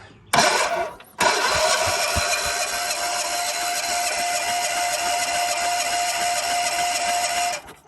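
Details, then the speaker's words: John Deere 400 garden tractor, long stored in weeds, cranked by jumping solenoid, compression about 120: steady starter churning for about six seconds, never fires; fuel pump not heard, coil power suspected. "I don't hear the fuel pump when I jump this, but then again, I'm going to try to jump inside there on the main housing and run some power over to the other side of things"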